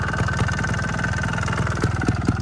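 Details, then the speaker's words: 2011 Sherco 290 ST trials bike after maintenance (new linkage bushings, clutch cover gasket resealed with RTV): steady low two-stroke burble with quick even firing and small throttle blips; clutch no longer slipping, shifting nice, normal running. "So she's running good. Shift's nice. I'm not slipping the clutch anymore."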